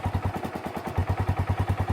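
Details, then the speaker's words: Kawasaki Bayou single-cylinder ATV just after swapping its rotten muffler for a good used Kawasaki 300 muffler in the stock location: a steady, even thump at about eight pulses a second with a mellow, muted exhaust, so it runs healthy. "it breathe really good nice mounted in the stock location kind of free solid I don't think can we can do better okay I think it's gonna work all right"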